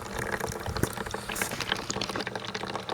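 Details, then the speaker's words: 1996 Elektra La Deliziosa T1 espresso machine, long in storage, button 3 dispense: thin uneven trickle and gurgle instead of a full stream; owner suspects the group screen needs cleaning, cause unconfirmed. "Again, I'm sure that screen needs to be pulled and cleaned. This unit was in storage for some time."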